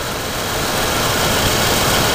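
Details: GTO wagon after RTV sealing exhaust leak: smooth even idle with steady rumble, no puffing or ticking from exhaust, finger test finds no leak; exhaust sealed and healthy.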